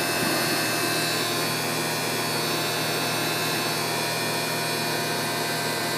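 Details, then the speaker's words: Lexus IS300h: steady whirring hum with a hissy top end, present with A/C on in Auto and growing louder, gone when A/C is switched off; abnormal air-conditioning noise, source not yet found. "关掉 AC 就不会有，打开 AC 就会有。"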